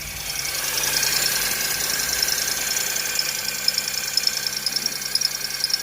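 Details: 2010 Honda Fit, cold first start in the morning: shrill, steady accessory belt squeal over idle, caused by the A/C compressor pulley misaligning the belt so it rubs.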